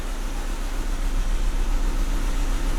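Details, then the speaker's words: VW Jetta petrol engine idling with a low, uneven, lumpy pulse and shaking, check engine light on but not flashing; cylinder two misfire persists after repairs, owner suspects the spark plug to ignition coil wires. "cylinder two misfire just like before so something is causing cylinder two to misfire i don't know what it is"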